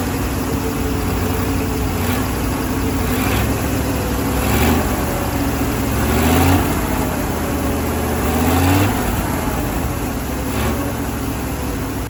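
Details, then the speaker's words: Firetruck V8 checked for heat soak after fixing a gas leak, warm near 190: steady idle sitting a touch fast with a few light blips; idle slightly high, owner plugs off a vacuum line, no leaks found. "let me see the idle's a little high let's um let's plug this vacuum off"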